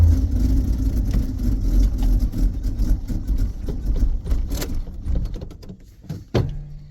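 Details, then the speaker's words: 1982 Itasca Sundancer 21' motorhome on a Chevy van chassis with a Chevy 350 and manual choke, on a cold start. A low, uneven, stumbling rumble runs and then dies; owner suspects it needs more gas or choke. "well she died she seems to be a little cold blood [Music] I guess you got to give it a little gas or pull the choke or something"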